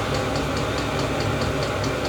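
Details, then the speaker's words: Chinese diesel heater after replacing noisy worn fan ball bearings, now hot, output about 85-86°F; steady, even combustion roar with a smooth fan hum and a faint regular ticking, sounds much better than before. Normal running. "but man that sounds so much better"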